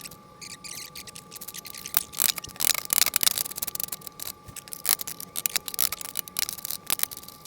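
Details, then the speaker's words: 20" California Trimmer reel spun by hand against a newly installed bed knife during seating: crisp, light snipping ticks, with clean, even slicing contact all the way across. "that's what you want to hear you want to hear that slicing all the way across"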